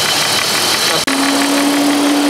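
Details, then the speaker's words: BMW E36, auxiliary radiator fan temporarily wired to high-speed brown/black wires via fuse switch, engine idling: steady hum comes in abruptly and holds level over idle hiss; fan switches on and runs normally. "you can hear the fans. They're on. So this is good enough to get me home."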